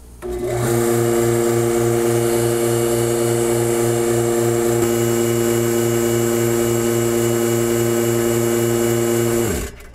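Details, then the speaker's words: Woodshop vacuum-bag pump forced to engage by letting air into the bag: it hums at a steady pitch with an even low pulse for about nine seconds, then shuts off cleanly. Afterwards the gauge holds steady at 22 inHg, so there are no leaks and the pump is normal. "I'm going to demonstrate right now by letting some air into the bag and forcing the pump to uh engage"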